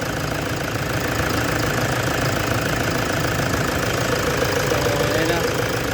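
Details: Toyota Hilux engine idling with a loose, uneven knock through its steady clatter, undergoing XADO engine treatment.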